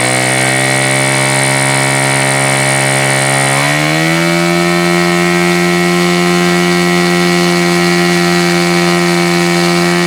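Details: Super Tigre G4500 glow engine, hand started, first run on a stand: high, clean buzz climbs smoothly about four seconds in, then holds steady without sagging; needs throttle raised slowly, running well.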